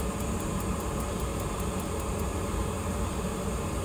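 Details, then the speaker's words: Glow Worm Micron 50FF boiler fan, after WD40 on the stiff motor shaft (before: intermittent no-start and whirring squeal): smooth, even whoosh with no squeal. Normal fan running. "all right it sounds a lot better doesn't have that like pitch kind of squeal going on there we go sounds good"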